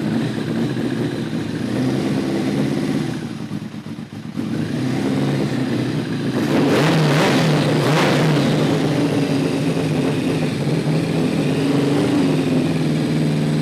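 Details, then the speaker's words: Kawasaki ZRX1200 with reworked Keihin CVK carbs, run without the enricher: an uneven idle that dips, then labours and surges on throttle. There is no intake impulse and it acts like it has no slow circuit; the cause is unresolved. "This thing should be running a hell of a lot better than it is. I just don't get it. It's like it's got no slow circuit whatsoever."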